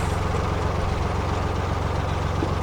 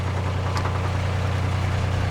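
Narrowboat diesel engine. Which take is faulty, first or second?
second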